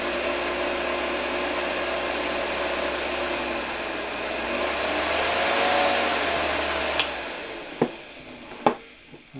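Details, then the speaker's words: Hoover 1346A (1972) vacuum cleaner bare motor, cleaned, bench-run unmounted at reduced voltage for safety: a steady high-pitched whir at even speed with no rattle or grinding before switch-off. Running well. "Oczywiście obniżam napięcie, ponieważ silnik nie jest tu do niczego przymocowany, więc dla bezpieczeństwa uruchomimy go przy niższym napięciu. Myślę, że działa całkiem nieźle."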